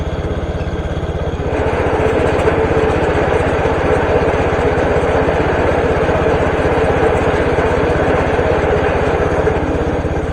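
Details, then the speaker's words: Case IH K-84 Snowcaster on garden tractor, test after repair: even quick engine pulse about three beats a second, auger spins with no grinding, quiet; normal running, though a part hits exhaust when raised. "Nice. So yeah, it spins fine. Everything sounds good. It doesn't really make a lot of noise."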